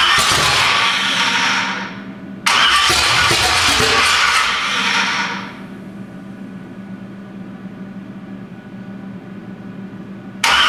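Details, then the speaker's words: 427 big-block Chevy on an engine run stand, not run in a long time, first fire attempt: two long cranking bursts with uneven chuffing, then a low hum; crank no-start, owner wonders if the firing order is wrong. "Well, should we see if she fires up for a second here? That's odd. What if I got the firing order wrong?"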